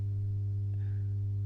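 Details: Masco M25N valve amp, poorly re-capped, on current limiter: constant deep buzzing mains-rate hum, no signal; lack of smoothing; mains hum from insufficient filter capacitance.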